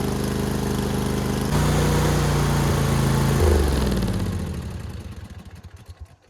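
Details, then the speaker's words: Ferris IS 2000 Z zero-turn mower, started to warm up before oil change, parking brake on: loud raw open bark from fast steady-firing engine, then shuts off and winds down; running without a muffler. "It's very loud. It needs a muffler. You can really use a muffler."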